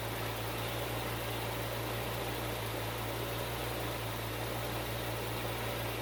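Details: Bitter SC (SC 377), Bosch L-Jetronic fuel injection, after fixing a faulty temperature-sensor wire. Smooth, even low idle with a steady hum and no misses or knocks: running healthy.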